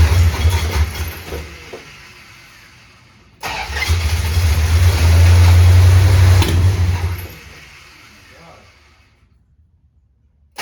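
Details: 1969 Super Bee 440 Six Pack V8 cold start at 43 degrees, after a no-start that only clicked (battery later found dead after charging): short crank, clean catch into a deep, strong rumble that steadies and tapers; normal start, always ran somewhat rich.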